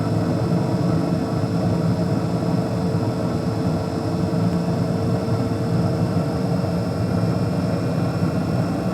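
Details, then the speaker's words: 2014 Carrier Infinity 98 natural-gas furnace, first startup of the season: variable-speed inducer fan ramping up after ignition, steady rushing hum with a faint constant whine, no scraping or rattles; normal inducer operation. "You hear the inducer fan ramping up."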